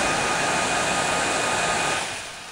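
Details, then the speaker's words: Dell Inspiron 8000/8100 laptop, 1 GHz Coppermine Pentium III, both fans at 100% full speed, readings about 6,000-7,000 RPM before going erratic: loud steady rushing whoosh with faint high whine, easing down near the end; normal fans at full speed. "That is the fans at 100% full throttle. The speed fan, the speed readings they give in miles out, they start off at about 6,000 RPM and then go to 7,000, then go haywire beyond that."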